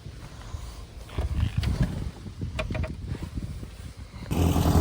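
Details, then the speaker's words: Engine fired right up and runs fine after a loose ground wire was found and the rotor, slightly different between the new and old distributors, was changed over: catches and holds a low, uneven burble with a louder blip near the end; normal running. "you hear the purr of a penny i changed the rotor i realized that the rotor from the new distributor and the old one were slightly different so i figured it might have a different height or something to the cap so i changed the rotor over thing fired right up"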